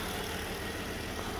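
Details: 2017 Jeep Wrangler 3.6L V6 idling, cylinder 2 misfire persisting after injector, coil and all plugs replaced: steady idle with faint uneven lope; low compression, suspected valves not closing properly in the cylinder head.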